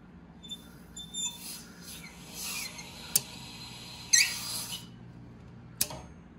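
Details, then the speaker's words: Well pump pressure switch clicking rapidly over hissing, gushing water: the pump is short cycling. The pressure tank's bladder has failed and the tank is waterlogged, so water spurts from the Schrader valve on top. The tank needs replacing. "so if you hear the pressure switch clicking just like what we just saw and you have water coming out of the top of the pressure tank it's time to get that pressure tank replaced that's what we refer to as a water log tank"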